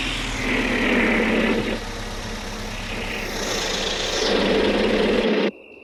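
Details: Pickup's first start after about 60 years: old engine running unevenly with a thin high whistle rising and falling over the rumble; source of the whistle not identified.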